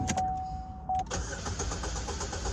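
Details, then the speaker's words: 2012 Chevy Malibu showing a cylinder 2 misfire and hard shifting, cranked during a fuse-block current ramp test of the coils and injectors; the starter cranks with steady, evenly spaced beats, an even cadence. "and we do sounds like a pretty even Cadence"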